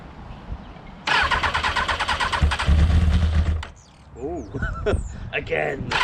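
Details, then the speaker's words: Motorcycle left standing covered for a month. Repeated bursts of quick starter churning with pauses and no firing; it turns over but won't catch. Owner suspects it needs choke; it then appears flooded. "so obviously you can hear it turning over it probably just needs a bit of choke a bit of play and we'll get this thing going"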